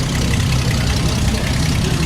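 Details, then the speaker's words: Old straight-six car after new points and condenser: steady, even low idle rumble with no misses or surges, though it has exhaust leaks that quiet once warm; normal idle. "Yeah, see how smooth these old cars used to run. It's a shame they don't make a lot of straight 6s anymore except BMW, but it's got exhaust leaks, but runs pretty damn smooth."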